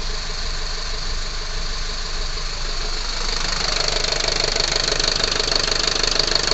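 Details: Unit 45 217 running hot (Torino MD), failed fan clutch reported: steady idle with a regular thrum about three times a second and a roar rising after a few seconds, engine vibration.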